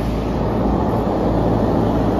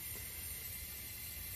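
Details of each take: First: 15-ton Trane rooftop unit after circuit 2 leak repair, both circuits running: even deep rumble and airy hum, no knocks, rattles or squeal; steady and healthy. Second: 15-ton Trane unit, circuit 2 lost all R-410A refrigerant: pressurised with nitrogen a little over 250 psi, steady high hiss of gas escaping, heard and felt at the leak, confirmed with bubbles; refrigerant leak, repaired then vacuumed and recharged 11 lb.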